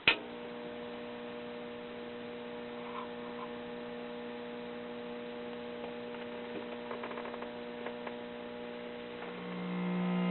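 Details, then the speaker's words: 1956 tube radio in a cardboard case, possibly an RCA Institutes kit, first power-up on 120 volts: steady low buzzing hum of constant pitch from switch-on; mains hum, bad filter capacitor suspected, or possibly a poorly contacting volume control. "This sounds like we have a bad filter capacitor right off the bat."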